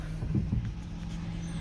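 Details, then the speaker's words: High-mileage vehicle's power steering pump on the first 10-mile drive after one fluid flush with Sea Foam Trans Tune added: faint steady low whine under road rumble, much reduced, steering turning smoothly. "first 10 mile trip after flushing first flush i say a little bit of wine steel but nothing major"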